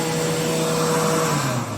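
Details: Hand dryer, model A made after production moved to China, lasts only a few years before sounding horrible: steady motor whine with wavering low hum sagging near the end; rough running, likely worn motor.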